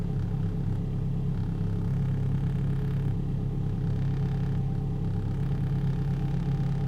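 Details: 2004 Holden/Opel Astra Ecotec, restarted during scan-tool diagnostics: steady, deep, even idle with no knocks, misses or whine; engine running healthily.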